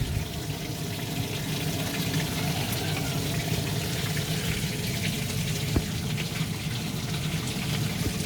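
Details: DIY bakki shower pond filter of three 51-litre boxes, piped and insulated, trays still without media: constant hissy splash and trickle with no rhythm, water falling straight through empty trays; noisy without media.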